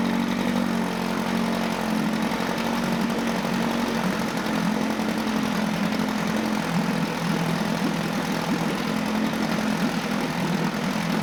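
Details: Mercury 9.8 hp 110 outboard after a new water pump impeller, lower unit seals and idle adjustment: an even two-stroke drone at a steady pitch with no misfires, surging or rattles. It is running normally.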